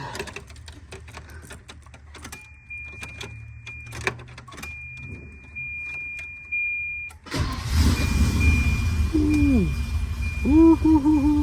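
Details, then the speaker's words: 1990 Volvo 240 DL that cranked but wouldn't start, spark checked: after ignition switch work, a click then engine fires and settles into steady running; ignition switch fix resolved it. "you see that? It's running. Bad boy is running."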